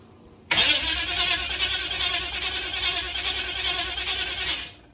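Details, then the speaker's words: UC Torana, first start attempt after over 10 years off the road, fuel pump humming, a leak at a copper fitting tightened: starter cranks steadily about four seconds but never catches; no ignition, later traced to voltage drop while cranking. "sounds like there's no ignition because that usually should have maybe try now i must have bumped something"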